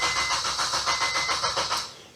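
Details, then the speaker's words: Supercharged FN2 Honda Civic Type R with a K20 engine and Ecutek map, after a new starter motor, knock sensor, thermostat and Yuasa battery: starter turns the engine in even pulses, about five a second, but it never catches; cranks, no start. "It was all back together, got a new Yuasa battery on there, and at the moment it cranks over, but it won't start."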